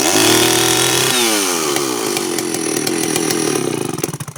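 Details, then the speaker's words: Reassembled Stihl 041AV chainsaw, started on choke, not fully warmed: revs up with burbling, uneven high-speed note that never cleans into a crisp scream; high-speed mixture too rich, needs carburetor tuning and idle adjustment. "Going to tune that a little bit. Sounds like it's a little bit too rich on the high speed, but we'll get her on the bench here and warm it up a bit more too, and see if we can get her just to whine out just a bit more."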